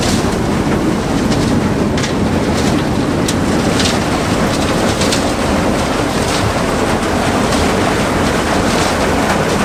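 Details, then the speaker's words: Abandoned combine revived, header clutch engaged after lubing: loud, even mechanical clatter with steady rhythm, no squeal or grinding; head turns freely, far better than the seized corn head. "Seems like our head's pretty free. Kind of snapped open and everything worked. A lot better than the corner head."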